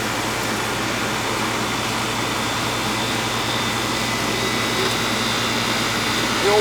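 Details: Old Goodman AC condenser, previously not cooling: loud steady fan rush over even Bristol compressor hum, no clicking or rattling; noisy by nature, running normally, cooling again.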